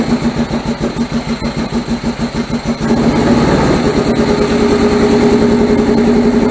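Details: 1978 MGB after fitting rebuilt carburetors and deleting ignition points, with no choke cable: uneven lumpy idle, stumbling pulses then picks up; still runs rough and very rich, owner wonders if valves are too tight.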